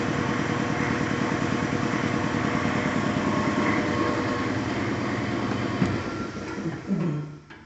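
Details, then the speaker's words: Larger belt-driven shop air compressor replacing a loud 30-gallon Sanborn direct-drive unit: steady, even pumping thump at a constant pace, surprisingly quiet with no knocking or squeal; running healthy. "okay big surprise i thought this thing being much larger was going to make a lot more noise it's actually really quiet"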